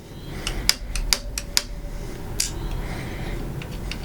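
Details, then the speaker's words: RMD electric strike, lock cylinder set to a restricted key, green setting, battery applied with unknown polarity: a few sharp clicks over a quiet room as the solenoid pulls in and releases, unlocking the strike; normal operation. "Okay, you hear the tick, that means it's unlocked."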